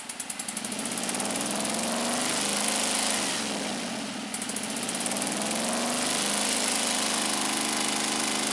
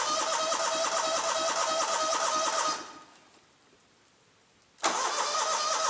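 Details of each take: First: Scag Turf Tiger 61 with Kohler CH25S engine, coil wires pulled one at a time: uneven, lumpy running about four pulses a second with a speed dip; one cylinder dead from a failed ignition coil, shutting off when blades engage. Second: Scag Turf Tiger 61 with Kohler CH25S twin that died on blade engagement, after replacing bad ignition coil and setting air gap with 0.010 feeler gauge: even, steady twin-cylinder beat, restarts at once and runs smoothly with blades engaged; fixed.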